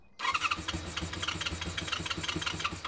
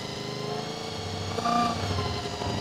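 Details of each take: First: Honda VFR400 NC24 motorbike on a booster pack after its blocked carburetors were stripped, cleaned and rebuilt: the engine catches quickly and runs with quick, fairly even firing pulses for about three seconds before dropping away; healthy start. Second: Honda VFR400 NC24 four-cylinder after stripping and cleaning blocked carburetors: idle swells in speed as each carb is adjusted during balancing, idle repeatedly turned down; idle rising during carb balancing.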